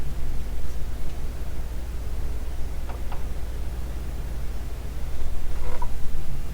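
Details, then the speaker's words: DeWalt 20V DCL074 Tool Connect radius LED work light: a steady low hum on medium, the normal dimming buzz from pulse-width modulation, which is silent on high. "can hear it humming on medium which is the pulse width at a modulation low in medium it hums and it makes the camera ripple"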